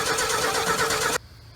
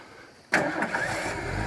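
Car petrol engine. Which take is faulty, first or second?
first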